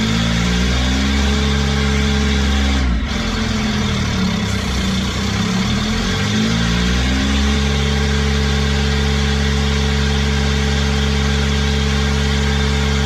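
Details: Kubota diesel with a 1006-tooth ring gear, started using a new starter with an 8-tooth pinion: an even, steady beat with a short dip in revs midway, then a smooth settle; a sound engine.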